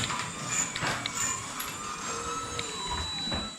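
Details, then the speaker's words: Ryobi garage door opener (GD125/GD200 series) running: irregular light clicks over a high motor whine as the carriage travels, from worn belt with missing teeth; belt then replaced. "You hear the clicking noise. Oh yeah, there's teeth missing right there. Look at that. How is this thing even working?"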